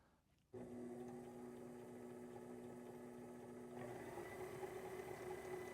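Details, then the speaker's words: Sailrite Worker Bee 110V sewing machine power pack running off a 4000 W (8000 W peak) pure sine wave inverter on a single battery; steady clean motor hum, very smooth, no operational issues. "Actually very nice and smooth. So really the only thing we've seen here is that below 500 watts, you really can't notice any operational issues whatsoever with the machine."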